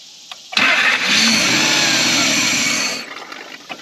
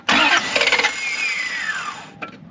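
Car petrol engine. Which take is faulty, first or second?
second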